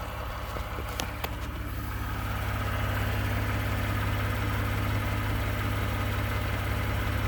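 Steady idle with a light, fairly regular rattling tick riding over the engine, about three per second, consistent with a knock at idle. Cause suspected, not confirmed.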